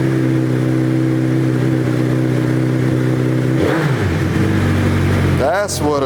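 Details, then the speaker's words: Suzuki Hayabusa GSX1300R after a wreck, not yet put in gear: steady even idle with two clean throttle blips, no popping, ticking or exhaust leaks; normal healthy revving. "what a 1300 should sound like. I haven't even tried to put it in gear."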